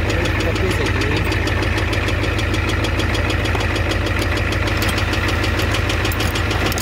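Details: 1988 Ford F250 7.3L IDI diesel, high-pressure fuel line leak, white/grey exhaust smoke, smoke from dipstick, oil low: sharp regular knock about a hundred a minute over steady idle; engine knock at idle, cause unconfirmed.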